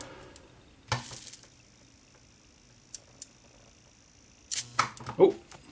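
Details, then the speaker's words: 19-inch K7000 arcade monitor chassis powered on, fitted with a 15 A fuse where 1.5 A was intended: thin piercing whistle at power-on, then sharp crackling snaps; high-voltage arcing suspected in flyback or tube neck, fuse then possibly blew. "It still sounds like something is arcing in the neck."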